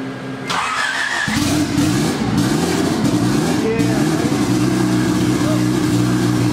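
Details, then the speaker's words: Civic wagon with a D16Z6 VTEC build, H-beam rods and a new turbo setup, first start after about two years sitting: it runs unevenly and stumbles because the downloaded base map had about 0° idle timing, later set to about 21–23°; injectors also poor. "for some reason this base map that I downloaded it out like zero degrees in it at timing on idle which doesn't make any sense"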